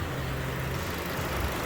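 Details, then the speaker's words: 2015 Chevy Cruze after new GM valve cover/PCV replacement: steady low even idle, no whistle or stumble; short-term fuel trims near zero, check engine light reset; normal idle. "and sounds like it's running pretty smooth so yeah i think we uh nailed it"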